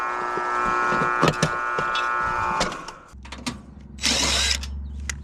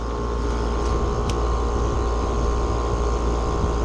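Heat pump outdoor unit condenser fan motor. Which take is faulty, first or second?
first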